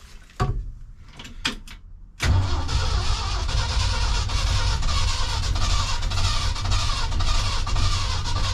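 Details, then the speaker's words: 1976 crew cab truck on its first start attempt with a battery fitted: the starter spins the engine over steadily at an even rhythm, but it never fires. The previous owner said it turned over. Cranks but no start. "I think we got enough cranking amps. Sounds like she's definitely turning over"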